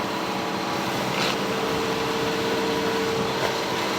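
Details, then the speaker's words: 1985 Cadillac Cimarron, 43,000 original miles, cold start: steady fast even hum, no knocks or stumbles, good oil pressure; normal high cold idle around 2100 rpm that drops once warm. "that's good oil pressure everything runs perfectly it idles high for a bit"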